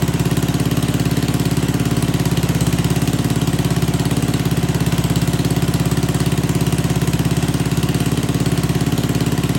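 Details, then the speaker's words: Old Troy-Bilt Pony rototiller small single-cylinder engine on old stale gas (no fresh fuel added), holds a steady even putter at constant speed with no misses or knocks; running normally. "well I'm not going to lie I did not put any fresh gas in this I don't know what it's running on but man is that gas stink in there"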